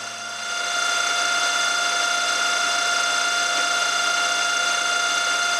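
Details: 6mm carbide end mill cutting steel at 1000 rpm, climb milling: sharp steady high-pitched ringing rising as the cutter bites and holding through the cut; milling chatter, suspected from workpiece too far out of the vice.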